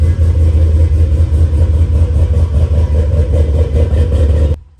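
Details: 2011 Chevrolet Camaro V8 after Isky cam swap and valvetrain work: deep, choppy, lopey idle with an uneven low pulse, then shuts off cleanly; healthy big-cam V8, normal idle.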